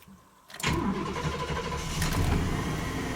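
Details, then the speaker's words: GMC/Chevrolet Silverado truck after replacing the gas tank, fuel pump and the faulty fuel pump relay that gave intermittent pump power: the starter cranks briefly, then the engine catches into a steady, even low rumble. A normal start. "we have power truck runs"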